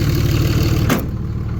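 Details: 2006 Dodge Ram 2500 5.9 Cummins diesel starting after the starter relay was bypassed; it had no crank and no start even with a new starter. Owner suspects the relay. Low, steady diesel rumble with an even idle beat; normal idle.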